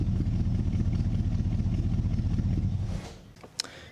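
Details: 1940s Mercury-type chop-top custom coupe with a high-performance 350 V8 after wiring joint repairs: deep, lumpy burble idling evenly for three seconds before cutting off, no stumble or miss; normal idle.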